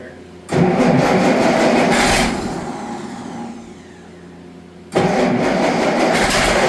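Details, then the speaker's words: Allis-Chalmers D19 tractor that sat about 20 years, with new plugs, started on choke: catches and revs, then sags and nearly dies before picking up, won't hold a steady run, stalling after starting. Owner suspects a fuel issue. "Well, you got her to run. She doesn't want to stay right. So, is it a fuel issue?"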